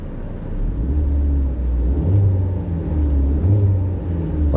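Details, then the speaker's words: 2016 Ford Explorer on road test: heavy low droning rumble that swells and throbs with acceleration, no misfires felt, suspected crankshaft-type engine vibration, possibly something hitting when put in gear; cause unconfirmed. "That sounds like feels like an engine vibration, like crankshaft type of deal."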